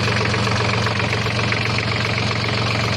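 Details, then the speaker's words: ISEKI Gias AT340 tractor after repair of a broken cooling pump that caused near-overheating and a fan wobbling even at idle: steady, even diesel idle with a smooth low throb, no knocks, surges or wobble; fan turns steadily, engine healthy. "ちょっとエンジンかけてみます。ファンがね、こう安定して回ってます。"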